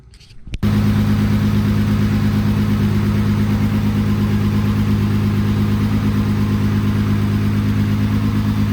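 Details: VW VR6 12V, engine built 9 years ago, after teardowns (missing piston oil nozzle, cams and lifters done): starts, settles to steady idle with faint irregular light tapping; owner suspects piston slap remains, unconfirmed.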